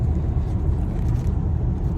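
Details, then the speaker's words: New 2023 Ford Explorer, 2,900 miles, driving at 60–90 mph: steady low road and engine rumble, no rattling or wind noise from passenger side after adding washers and nuts to underbody felt panel M6 bolts. "could certainly hear a lot of rattling but uh am not hearing it anymore you can hear it over here on the passenger side and I am not hearing it anymore"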